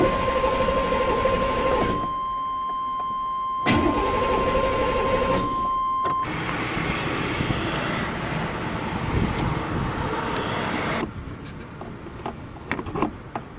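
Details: 1997 Chevy C1500 5.7L V8 cranks steadily on the starter but never starts; the fuel pump assembly, replaced in 2018, is suspected of failing again, not confirmed.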